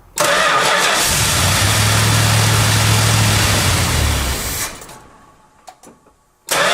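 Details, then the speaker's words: 1971 Chrysler New Yorker 440 V8 after a fuel system overhaul with a new tank, sender, fuel pump and AVS2 carburetor, parked five months. Quick crank, then it catches into a strong, even high choke idle, which is then backed down before warm-up. "wow that sounds really good i'm really happy to hear it run again it's been several months it's been parked"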